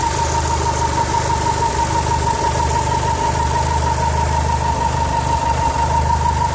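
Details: 4G63 engine from a 2G AWD DSM: steady idle with a faint, even tick and a thin whine up top; noise seems to come more from the turbo area, cause unclear.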